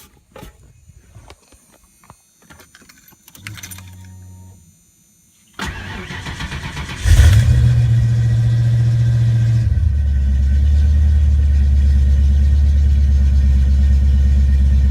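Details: 1989-1993 Ford Mustang 5.0L, rebuilt mass-air ECU under test; short crank, catches cleanly, holds a high idle, then drops smoothly to a steady closed-loop idle, normal start.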